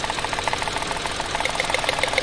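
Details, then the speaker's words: Mitsubishi Mirage shaking badly at idle during a coil-pull test, pulling ignition coils one at a time to find the dead cylinder: rough, uneven idle with irregular ticking and a stumbling beat; cylinder misfire. "napakalakas oh nangangatal na nangangatal yan"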